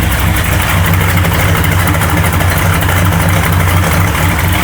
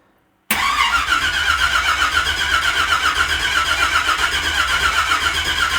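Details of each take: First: Unfinished family project truck, V8 first fire, cold-blooded, started by remote starter: deep steady throaty idle, very loud exhaust, smooth with no misses or knocks; water temp, oil pressure and voltage gauges reading fine; healthy running engine. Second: Unfinished family project truck, first start attempt in freezing weather with battery booster: steady even cranking about four beats a second for ten seconds, never catching; no ignition because the distributor power wasn't hooked back up.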